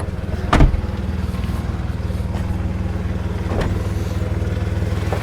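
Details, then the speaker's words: VW Polo Mk4 1.2, started and idling, microphone down near the exhaust: sharp, rapid puffing chuff on every beat, loud and raw, as exhaust dumps out from underneath; huge exhaust leak. "main one being a huge exhaust leak so if I prop you guys there while I start the car you can hear the exhaust is pretty much dumping from down there"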